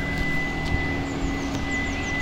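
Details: Hyundai Ioniq EV on a 7 kW charger: loud steady whooshing drone with no rhythm, like an engine, from the radiator fan at max speed cooling the onboard charger; never heard before, stopped when charging stopped.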